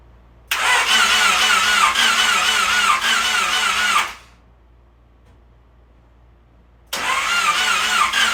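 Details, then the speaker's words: Honda Civic freshly rebuilt D16Y8 engine after install, ECU fuse removed so no fuel fires: two bursts of steady, even cranking about three turns a second with a pause, turning freely to build oil pressure before first start. Normal cranking without start. "And when you take the fuse out, just make sure that it's not going to fire up any fuel or anything like that. It will just turn the motor over."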